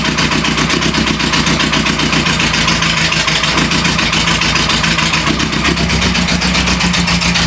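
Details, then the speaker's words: Renault Trafic van engine restarted after 23 years standing, with a homemade exhaust and a starter cable fitted; it still struggles to start, then runs with a coarse, uneven pulsing beat and lumpy idle, spitting black smoke. Hard starting and rough running. "C'est c'est pas dit que ça démarre parce que ça galère encore beaucoup à démarrer."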